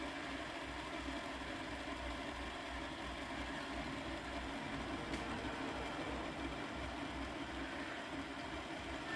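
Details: Repaired Hornby Class 57 diesel-electric model locomotive running in reverse on a rolling road after rewiring; even, light motor whir with no catches; normal running.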